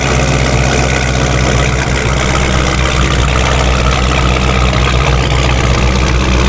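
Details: Forged 426 Hemi with a D1SC supercharger, cold start: loud steady idle with an even, coarse gear grind over it. Normal straight-cut blower gear noise, heard before a supercharger oil change; the owner is unsure whether all of it is the gears.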